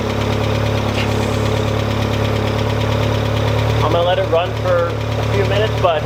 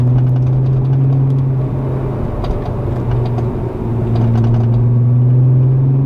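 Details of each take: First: Automatic Mk2 VW Jetta, first run in roughly 1.5–2 years after starter replacement, oil unchecked and possibly low. Rough, loud race-car-like idle with a light, irregular ticking at the front of the engine. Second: VR six-cylinder engine at idle (a newer Mk4 VW shown alongside a 1987 Mk2 Jetta GL project): a smooth, steady, deep burble with an even, unbroken beat. It sounds healthy.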